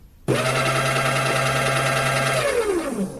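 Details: Empty electric burr coffee grinder, apparently the Baratza Encore, spinning up to a steady, fairly loud, high-pitched whir and winding down smoothly. This is normal running noise with no grinding faults.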